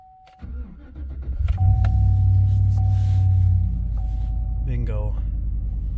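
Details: 2009 GMC Sierra/Chevy Silverado after new battery, previously hard crank then no crank in cold weather: quick crank, engine catches and settles into a steady even idle with no stumbling; starts and runs normally.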